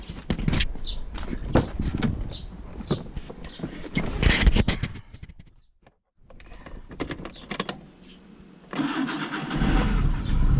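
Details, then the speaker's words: Car with a bad battery that would not take a charge, starting after the starter was removed; some clatter, then the engine catches promptly and settles to a steady, even idle. Normal start; fault was the battery. "четко заводится в общем по большому счету дело в аккумуляторе"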